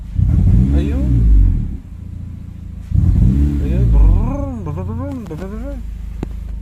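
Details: Honda Civic FD, automatic, petrol engine blipped sharply twice: each sudden throttle jab brings a rough, uneven stumble instead of a clean rise; misfire on take-off, idle steady; suspected throttle body, spark plugs, wiring or ignition coil, unconfirmed.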